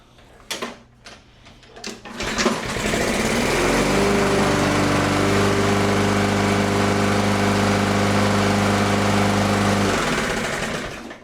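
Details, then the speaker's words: Neglected Toro Recycler mower with a Briggs & Stratton 163cc engine, found low on oil, running on old gas with a fouled plug and running hot: rough running with a steady tapping knock about 3–4 times a second over the exhaust drone. Exhaust valve lash is too loose. "That thing sounds terrible inside."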